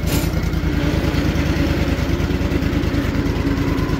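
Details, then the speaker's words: Cub Cadet lawn tractor with bagger, engine recently rebuilt, just started: a small single thumping at an even, quiet idle of about two beats a second with no knocks or rattles; it runs healthy. "Let's see how this bad baby starts here. Oh, terrible. Remember, we rebuilt the engine on it. Nice and quiet."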